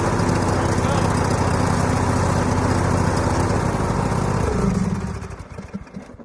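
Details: John Deere E100 lawn mower after replacing the mower deck belt (part GX20072): loud steady single-cylinder chug at an even pace, then a smooth fade as it shuts down; running normally.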